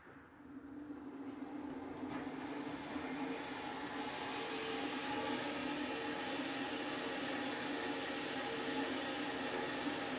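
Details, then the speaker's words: Bandsaw cutting 3-inch-thick aluminium with low feed pressure on a coarser blade: even, steady hiss building and holding, no chatter or snagging; much faster, very smooth normal cut. "with this low feed pressure, it's already a lot faster. Very smooth cut."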